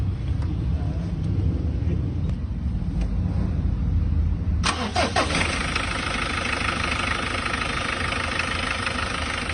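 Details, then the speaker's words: Mitsubishi L300 after an oil seal replacement, timing set and tune-up: it cranks, catches, then settles into a smooth, steady idle with no tapping or knocking. Normal idle, now quiet. "Ngayon eh, tahimik na po. Tunog makina na po."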